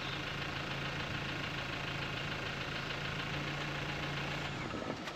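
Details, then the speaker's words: GMC Terrain after replacing failed brake vacuum pump that caused clunking and ticking: even, quiet idle with no clunk or ticky clatter, much quieter than before; normal idle after repair. "holy crap this thing's quieter than it's been in a long time this thing's much quieter"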